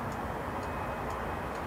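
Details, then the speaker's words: Husqvarna push mower with auto choke, fuel just turned on, pulling back the blade brake bail: light sharp clicks as the shut-off switch deactivates normally, before a no-start. "that's actually the the shut off switch deactivating which is good"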